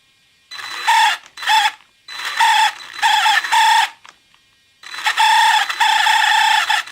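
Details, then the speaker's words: Second-hand Traxxas Summit electric RC truck: bursts of high squealing rise and fall with each slow throttle push; drivetrain squeal, owner suspects slipper clutch, cause unconfirmed. "so i bought this traxxas of ebay and uh i've been running fine but recently they have this bizarre squeaky noise"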